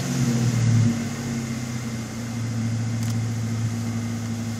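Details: 1995 Ford Mustang GT V8 (OBD1) cylinder balance test during KOER, started with one wide-open throttle tap: computer cuts fuel and spark to each cylinder, measuring RPM loss; brief rev settling to steady even idle, cylinders sound equal.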